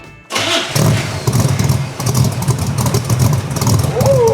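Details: 1975 Corvette with cammed V8 and 4-speed, right after Speedy Sport mufflers were welded in: brief starter whirr, then an immediate catch into a deep, even burble. Healthy start-up.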